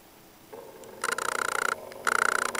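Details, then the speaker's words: Small DC motor on PWM control (SN754410 half-H driver, Basic STAMP) just switched on at lowest speed: thin high buzzing whine with a fast pulsing flutter in two short bursts; normal. "okay and it's at it's at its lowest speed right now"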